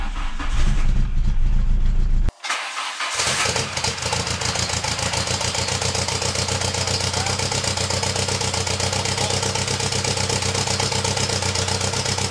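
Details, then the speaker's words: VW Golf 2 GTI with Digifant injection, at start-up before repair; catches after brief cranking then idles with an uneven stumbling beat about four pulses a second, running on three cylinders: misfire, owner suspects the fuel circuit, not confirmed. "elle tourne sur trois pattes là actuellement je l'entends vraiment bien en étant ici après en vidéo c'est pas forcément facile de s'en rendre compte mais elle tombe sur trois PES"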